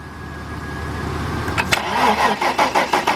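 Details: 1997 Mercedes-Benz E320, 119,000 miles, battery weak: starter cranks with a fast, uneven rhythm around three turns a second but never catches; no cam sensor signal found, cause not yet confirmed.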